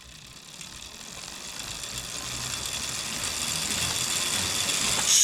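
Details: Bontrager Aeolus Pro 3V wheel with DT Swiss internals on 2022 Trek Domane SLR7; crisp, fast high-pitched ticking building to an even buzz while coasting; normal healthy freehub ratchet clicking.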